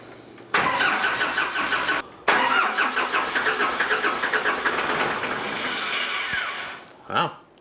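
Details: Cummins 4BT diesel in a 1968 Ford Bronco, first start attempt: starter cranks in two fast bursts with a few stronger catches but never runs; air still in the injector lines being bled.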